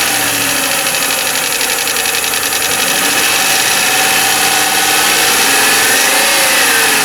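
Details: 1995 Lincoln Mark VIII LSC, Ford 4.6 DOHC V8, idling with steady tapping about four a second; owner unsure whether lash adjusters or piston slap/rod knock.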